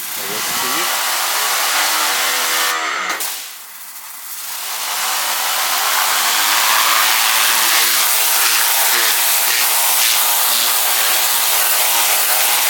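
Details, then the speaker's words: DeWalt 3000 PSI 1.1 GPM 15A corded electric pressure washer running after the water supply was turned on (it had first been started without water); steady motor-and-pump drone with a bright hiss, sounding much better: normal running. "and then uh supposed to turn on you see the sound is much better right now"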